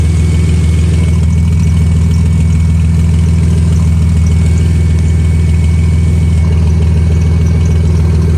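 Loud, low idle with a rhythmic puff about twice a second that keeps time with the engine; sounds like an exhaust leak. Cause suspected, not confirmed.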